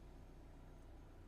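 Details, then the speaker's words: Proton Saga with the key turned off, aircon and radio off: a steady, even low idle rumble carries on as the engine keeps running after switch-off, blamed on a faulty relay or a wrongly added green relay wire. "Kunci on. Tutup kunci. Jadi dia hidup lagi. Aircon semua mati lah."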